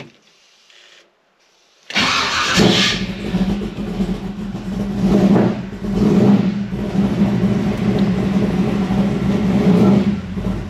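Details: Chevy C10 longbed after upgrading a heat-soaked generic mini-torque starter to a Powermaster PN 9400 2.5 kW starter: a brief quick crank, then the engine lights off cleanly into a steady even idle; flex plate teeth intact; normal cranking and start.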